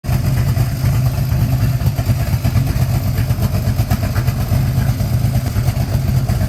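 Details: De Tomaso Pantera GTS with a rough, gravelly rumble under the steady running engine. Clutch noise from release bearings; both new release bearings were found bad.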